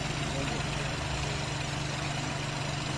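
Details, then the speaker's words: 2019 Ford EcoSport EcoBoost, recently bought used, at idle with oil dipstick/filler open: steady even idle with soft chuffing from the opening, no knock; heavy smoke from dipstick confirms engine blow-by. "So yun ah Blow by engine confirm kitang-kita naman doun sa dipstick napakalakas nung usok"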